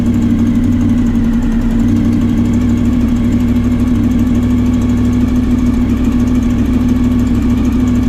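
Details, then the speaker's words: 30-year-old Honda VFR 750 V4 idling with a used stainless steel exhaust replacing the rotten, holed original, some wind noise: smooth even burble, steady hum, no ticking or exhaust puffing; runs cleanly, leaks fixed. "Smooth rides, perfect sounds, and finally no more leaks. This is what make riding an old motorcycle so damn satisfying."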